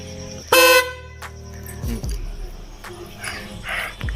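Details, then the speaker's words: Maruti Suzuki Swift after horn repair: the old horn was adjusted, glued so it won't turn from vibration, and refitted in a new location; one short, loud, steady horn blast with clean even tone, then street noise; normal horn operation. "ನೋಡಿ friend, ಹಳೆ ಹಾರನ್ನೇ ಹಾಕಿದ್ದೀನಿ. ಇದು ಸ್ವಲ್ಪ adjustment ಮಾಡಿ ಇದಕ್ಕೆ super low gum ಎತ್ತಿಸ್ಬಿಟ್ಟಿದ್ದೀನಿ, ಯಾಕಂದರೆ ಹಾರ ನೋಡಿ ವೈಬ್ರೇಷನಲ್ಲಿ ತಿರುಗಬಾರ್ದು ಅಂತ."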